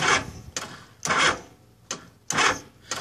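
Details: Honda GL1100 warmed up after carb rebuild and sync (about 10 inHg), good battery, stator charging 14.6 V, starter already replaced; starts fine cold: uneven sharp clicking about once a second, no cranking; hot no-crank, cause unknown.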